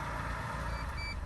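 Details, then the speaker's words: Mitsubishi Colt CZCT 4G15T Mivec turbo, stationary at idle after sitting a while: thin high beep repeating over a quiet engine, the warning that the driver's seatbelt is unfastened. "that noise that's beeping to the background indicates i've not got my sibo on but i am stationary"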